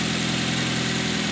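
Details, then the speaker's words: Nissan Wingroad after repair of a no-start with no injector pulse or coil current, fixed by replacing the cam and crank sensor wiring: steady, even idle at normal rpm, smooth low hum, no misses, knocks or surges; normal idle. "अच्छा तो दोस्तों, गाड़ी अब बिल्कुल ओके है, कोई मिसिंग नहीं है, कोई कुछ नहीं है, बिल्कुल नॉर्मल आरपीएम पर खड़ी हुई है।"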